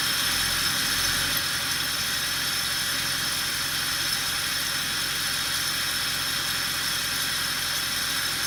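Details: Mercedes W219 CLS63 with the M156 engine at steady idle: a fine metallic jingling hiss ("shara-shara"). The tension pulley has play.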